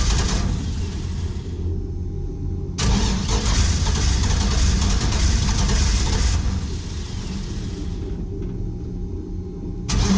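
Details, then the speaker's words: 1949 International KB2 with a GM E38 ECU, LS7 MAF, 6L90E transmission and very old fuel, second attempt after fixing a fuel leak: repeated bursts of steady cranking, about four beats a second, with no firing. Crank, no start; the cause is not yet known. "something's wrong i'm gonna check spark"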